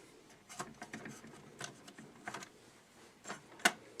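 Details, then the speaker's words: Lloyds R-846 mid-1980s all-plastic belt-drive turntable, played with no needle: irregular light ticks and clatters, a couple per second. The mechanism works but is fairly noisy. "And it does work. It's fairly noisy though. Very plastic."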